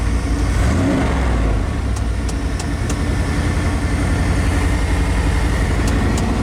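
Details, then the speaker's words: 1993 Chevrolet 3500 wrecker, 5.7 350 TBI, first start in years: steady, even engine note with a light rev, no smoke, knocking or tapping, good oil pressure assumed; normal running, after the blend door noise stopped. "all right I think that's it running good no smoke no knocking good oil pressure we assume anyway no tapping or knocking"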